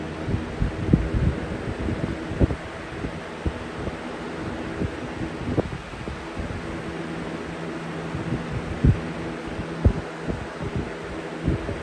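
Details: Replacement 20-inch Lakewood/Holmes-style box fan, Jordan Home Environment, on high, with average shaking: low, steady hum with a soft throb and the odd light tick; running normally.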